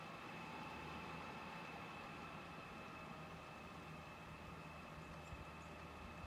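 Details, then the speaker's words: Chinese clone of an Eberspächer-style diesel parking heater, normal start-up: soft, steady fan rush with a faint, unwavering high whine as the fan blows and the glow plug icon comes on during the burn cycle. "and the glow plug icon is on. Look the fan is on and blowing"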